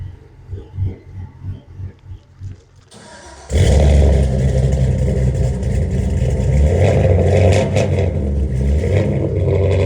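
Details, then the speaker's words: GMC C30 Crew Cab square body with freshly completed LS V8 swap, custom Texas Speed cam and 3-inch exhaust: first start, quiet patter then a deep, even V8 rumble at steady throttle, no knocks or rattles; runs healthy. "happy hell that sounds there we go"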